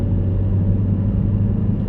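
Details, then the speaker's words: Test drive after replacing a worn rear wheel bearing: steady low tyre rumble at cruising speed with no droning hum rising with speed; normal road noise. "That bearing was pretty knackered. Nice and quiet. Just the normal tire road noise down."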